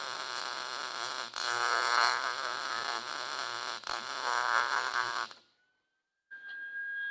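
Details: Lincoln Pro-MIG 140 MIG welder, drive tension set at 6, before blowing out a liner that heats and expands: harsh, uneven stuttering crackle instead of smooth sizzle; wire feed speed feels too fast.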